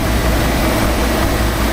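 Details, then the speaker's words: Nissan Titan V8, possibly a 5.3 (owner unsure), idling at an auction lot: deep, steady rumble with no knocks, ticks or hunting; sounds healthy, normal idle. "that's okay that's okay it sounds good it sounds healthy"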